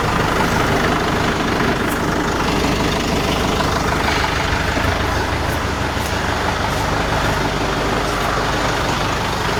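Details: Tractor idling while lowering three-point hitch with CountyLine post hole digger attached; steady even diesel rumble, no knocks or misses; normal idle.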